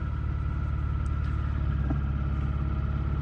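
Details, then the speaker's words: 2003 Subaru Outback Impreza flat-four, first start, snowy Nevada, weak decrepit battery: steady, even low idle rumble with no knocks, ticks or misses; sounds okay. "It sounds okay. I'm just gonna hold it at high idle a little bit to put a little charge in the battery."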